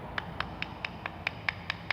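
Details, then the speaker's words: Citroën C3 suspension: sharp, light clacks about four or five times a second as a worn sway bar link ball joint rattles with excess play; the link is replaced with a new part with dust boot. "barulho é justamente a folga netão eu coloco a porquinha aqui para poder bater porque porque esse terminal não tem folga esse aqui já tem paulo"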